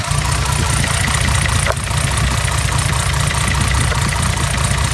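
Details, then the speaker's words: 1975 Mercedes 280SL, M110 six-cylinder, injectors serviced, new plugs, unrun 10+ years: lumpy uneven idle; pulling cylinder 3 lead gives no rev drop, dead cylinder, plug, lead or injector suspected. "I don't know how well that came out in on camera, but when I take this spark plug lead off here, there is no change in engine um tone. The revs don't drop slightly."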